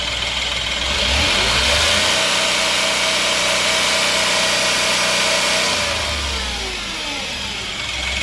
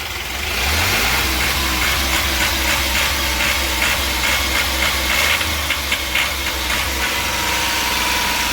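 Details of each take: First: Ashok Leyland Dost diesel after replacing a faulty crank sensor that caused misfire and no revving, with no fault code on the scanner: in neutral the engine revs cleanly to full speed, holds steady, then settles to an even idle; crackling gone. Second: Ashok Leyland Dost small diesel revved with jerking and misfire, not reaching full revs, no scanner code; stumbles unevenly under throttle. The crank sensor was found faulty and replaced.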